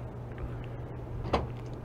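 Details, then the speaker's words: 2013 Honda Accord (smart entry) trunk that intermittently wouldn't open by remote or switch, after actuator and switch tested good: single crisp latch clunk over faint idle hum; trunk release working again via remote and switch. "and there you go it's working again and using the trunk switch it also works"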